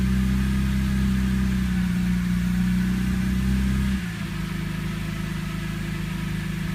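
Uneven, lumpy idle with a wavering low drone that drops and settles after a few seconds; rough running while the engine is still cold.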